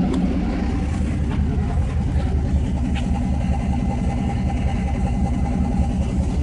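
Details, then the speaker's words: 1991 Mazda B2200, 6.0 LQ4 twin-turbo V8 swap, stock 2002 GM computer now running a proper fuel file instead of a high base fuel number: deep, steady, even idle, no stumble, still warming up, some steam; normal idle. "a bit more civilized this time around with actual file for it to read for how much fuel to inject instead of just a base number of a ridiculously high quantity"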